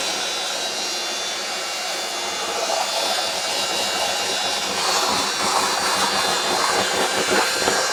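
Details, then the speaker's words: Workshop push wet vac mopping up spilled coolant: loud, airy, high-pitched howl that swells as it keeps running, slow but working; the motor is noisy and howling, cause not confirmed. "Howling motor push wet vac to the rescue."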